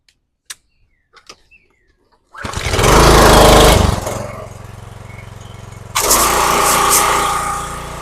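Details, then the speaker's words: Craftsman 3000 psi pressure washer, Briggs & Stratton 190cc 8.75 hp, running after a main jet clogged by bad gas was cleaned: pull-start catches at once, then a steady even drone that picks up as the pump loads. Normal running under load. "I would say that works pretty good."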